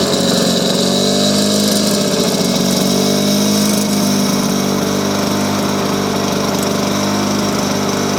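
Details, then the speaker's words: Lawn-Boy mower with F series engine and three-speed transmission, still a little cold; light two-stroke buzz with an even, steady beat and no misses or surges, running super smooth and healthy. "this thing is an absolute beast i love this motor this is definitely like my favorite mower now it's super smooth"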